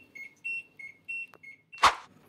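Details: LG washing machine that won't start after pressing Start, beeping a rapid high-low error non-stop because the lid-open sensor has failed, even with a magnet; fixed by bypassing the sensor.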